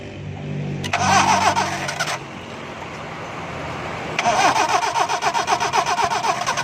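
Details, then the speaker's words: Car won't start after pressure washing: starter cranks in steady bursts of about four turns a second but engine never catches; water in ignition wires after washing. "बस देखें, गाड़ी दोस्तों स्टार्ट नहीं हो रही, तो इसके लिए सबसे पहले हम इसकी वायर उतारेंगे एक एक।"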